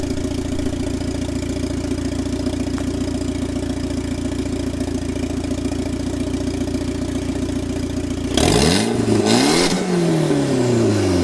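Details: 1997 Mitsubishi Eclipse GSX 6-bolt swap, running on an open downpipe with the oil pressure sensor removed; steady rough idle, then two sharp blips climbing and falling back quickly, loud raw exhaust. Normal revving.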